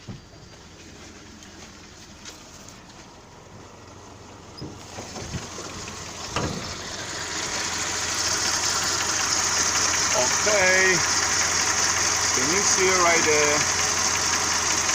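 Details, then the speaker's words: VW Jetta that had a cylinder 4 misfire (P0304), after an ignition coil hack fix: starts and revs very smooth and responsive, settling into a steady, even idle hum with no stumble or skipped beats. "Okay, now that was very smooth, that was very responsive."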